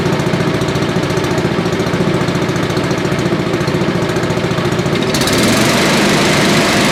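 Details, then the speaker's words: Billy Goat leaf blower, Briggs & Stratton 9.5 hp, with choke partly on; plug was sooty and compression seemed low: steady fast single-cylinder beat picking up slightly near the end, no backfiring; runs really good, normal running. "It ran really good."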